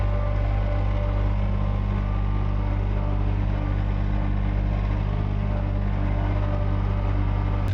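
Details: John Deere 1445 with rebuilt Yanmar 3TMV 882A three-cylinder diesel on first start after the rebuild; smoky 20-30 minutes then cleared, timed correctly. Steady, even low rumble at mid throttle, no knocks or misses; normal running.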